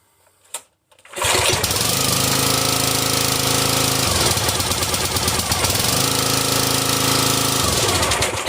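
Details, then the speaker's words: Briggs and Stratton XR Professional 250cc engine on a Brute 35-ton log splitter, after a no-start from a broken choke lever left on full choke and a fouled spark plug. Choke repaired, it fires after a brief pull and runs steadily with no misses; normal start and run. "And just like that, choke is working. So if yours don't start, check it."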